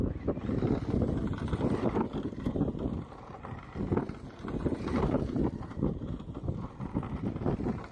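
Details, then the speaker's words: Brand-new RTR Element RC Enduro crawler driven at decent speed over bumpy ground: drivetrain smooth and quiet, but uneven bursts of light clattering from the body shell bouncing; loose body panel rattle. "Okay, so what you're hearing there is body bounce. I guess it's just, as soon as the truck's moving at a relatively decent speed over bumpy ground, which is what we all drive on, all you hear is rattle, rattle, rattle everywhere you go."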